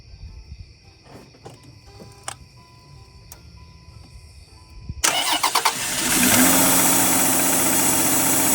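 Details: Land Rover Freelander KV6 started after a thermostat replacement and coolant refill, checking for leaks: quiet at first, then a short crank, and the engine catches and settles into a steady, even idle; healthy start-up, no coolant leaking.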